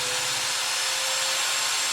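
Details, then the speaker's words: Known-good small drone brushless motor on an ESC, driven by a servo tester from a 2S or 3S LiPo battery. It starts and spins with a smooth, even high-pitched whir, steady tone near 500 Hz, no roughness or stutter; healthy. "so here you hear the motor starting up as you would when you co get up with an e SE and now we're going to rotate the dial in our circle tester see if it's gonna spin okay right there you go"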